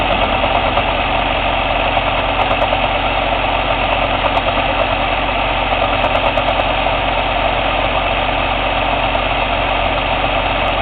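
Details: Cummins ISX CM2250 diesel running steadily during DPF regeneration: uneven sharp aerodynamic puffing from the intake about three times a second, no mechanical noise; owner suspects turbo chuff during regen, unconfirmed.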